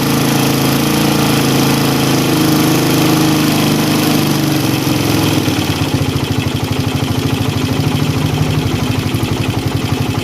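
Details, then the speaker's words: Motorcycle carburetor, air screw opened past point of highest rpm while holding revs: fast buzz sags into uneven, pulsing, hunting rpm; idle hunting from air screw opened too far. "buka sampai dapat terowongan rbm tertinggi kedengaran ini sudah lewat karena RPM kembali turun naik ya kita tutup lagi"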